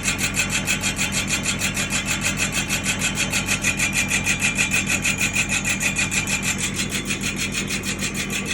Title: #Grinding noise drum Nissan patrol#